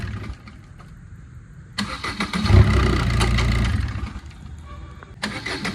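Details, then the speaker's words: 2010 Maruti Swift, 102,000 km, hot restart after timing chain repair for late starting (P0340 cam sensor fault): short crank, catches promptly, smooth even idle without hesitation; late-start fault cured. "அந்த late ஸ்டார்டிங்கோட complaint வந்து பார்த்தீங்கன்னா timing செயின்னால தான் வந்தது. அதனால தான் நான் இப்போ உங்களுக்கு இந்த மாதிரி ஆஃப் பண்ணி ஸ்டார்ட் பண்ணேன்."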